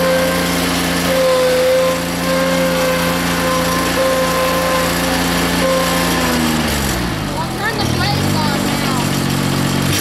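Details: Rebuilt Grasshopper 721 mower, straight three-cylinder Kubota gasoline engine (cleaned carburetor, new fuel pump, plugs, air filter): steady drone dips briefly in pitch as blade load comes on, then recovers; healthy, though owner says it bogs quickly in tall grass.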